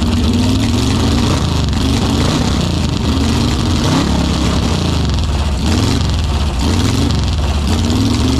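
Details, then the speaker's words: Ex-motorhome Mopar 440 big-block V8 with Carter AFB four-barrel carb, no coolant, barely warm: lumpy idle with occasional sharp pops; owner suspects ignition or electrical cause, not confirmed. "not really sure what that popping was but it was probably ignition related or electrical"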